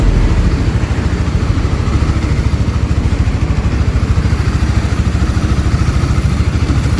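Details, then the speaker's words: 2021 Honda CBR150R that had a noisy engine, after replacing the timing chain tensioner: steady, even single-cylinder idle thump with no chain rattle or clatter; the cam chain is now tight and quiet. "Tidak ada suara sisa atau suara rantai yang longgar, suara berderak yang biasanya kalian ceritakan kepada saya, suara berderak dan berdecak itu. Semuanya sudah hilang sekarang. Sekarang bunyinya lebih halus."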